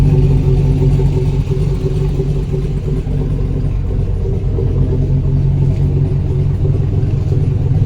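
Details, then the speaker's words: V8-swapped Chevrolet Colorado idling after an updated tune, new PCV setup and an oil problem, deep even lumpy burble with no ticks, knocks or misfires; still sounding good. "I'm not sure how well you guys can hear me now with it idling but uh let me just kind of go around with it running and just let you guys hear that it's still sounding pretty good"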